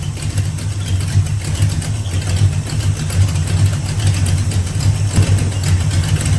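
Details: Mustang with a rebuilt carburetor after throttle-response and detonation issues, fuel lines tightened as a temporary fix: a deep idle rumble with an uneven, lumpy beat that comes and goes, running rough and hit or miss.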